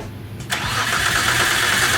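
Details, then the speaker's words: Big-turbo Nissan R33 widebody 4-door on first start: engine catches with a sharp burst, then settles into an uneven, lumpy idle with a hiss; owner suspects too much fuel, running rich and choking, not confirmed. "all right so that's probably just like too much fuel it's like probably just being like it's choking inside"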